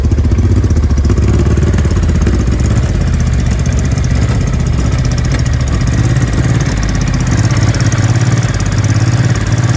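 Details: 2005 Honda Deauville NT650V just restarted after carburettor refit (vacuum pistons repositioned, pilot screw about 1¾ turns out), cold on full choke: loud, uneven low chuffing with pops and spits. No air leak, it is just cold.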